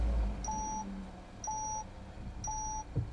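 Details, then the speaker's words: Peugeot 308 GTI at idle after AIRTEC intercooler fit, bumper and parking sensors unplugged, AFR 14.65; three clean mid-pitched beeps about one per second over a quiet idle, the parking assist fault warning. "14.65. Got a parking assistant fault."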